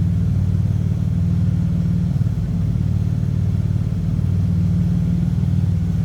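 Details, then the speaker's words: 1954 Plymouth Plaza Club Coupe, heard at the tailpipes through dual exhaust with glass packs: deep, steady, unbroken burbling rumble with no misses or knocks; a healthy six. Normal idle. "Slip around to the back so you can hear this run. Getting kind of that old school hot rod sound with a dual exhaust and glass packs."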